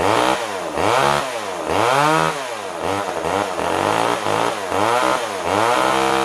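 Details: Older Poulan Wood Shark chainsaw runs only on choke: revs surge up and sag repeatedly, never holding steady speed, as if fuel-starved; jets were set far out, weak fuel pull from tank, owner suspects it needs a carb kit.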